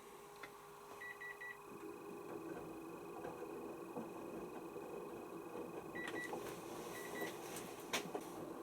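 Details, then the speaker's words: Panasonic NA16-VX1 inverter washing machine (7 kg, 1600 spin, 2009): faint steady high whine under the panel beeps from the control board's cooling fan, which extracts heat from the heatsink. Normal. "is normal as well is that you can hear some kind of whining going on it behind in the machine that's so normal because the circuit board in this Panasonic uses a fan to extract the heat away from the heatsink"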